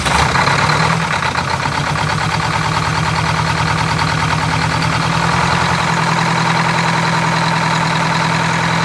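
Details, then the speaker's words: Detroit Diesel 8V92 in a Wanderlodge RV, started after fuel work with primed Raycor fuel filters: slightly uneven, lumpy beat settling after a few seconds, brief rough running likely from a little air in the fuel lines. "Might run rough for a couple seconds because of the little bit of air that's in the lines."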